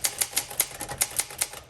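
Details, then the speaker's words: 1962 Olympia SM5 manual typewriter, rough-looking and well-used but mechanically sound: crisp, evenly spaced keystrokes about five per second, clean snaps without drag or double strikes; one of the best typing machines, normal. "It looks rough, but it's probably one of the best typing machines I've typed on in a while."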